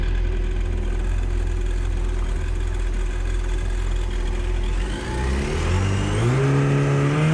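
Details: Yamaha supercharged jet ski on water test after supercharger clutch replacement, before return to customer; steady low drone at low speed, then smooth climbing whine as throttle opens, pulling cleanly. Normal running.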